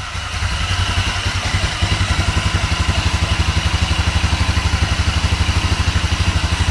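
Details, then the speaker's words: GY6 250cc CVT engine (Mega Hummer ATV), still cold, no choke, after valve clearance adjustment (intake and exhaust were too tight): steady, even idle about four beats a second, no ticking; runs rounder, normal idle. "Dar se aude că merge mai rotund."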